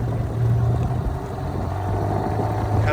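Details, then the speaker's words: Dinghy outboard, fully warmed up after owner's attempted fix for rough running, at low idle with an even smooth beat and no misses. "now that it's fully warmed up you can hear it's at low idle it's doing great"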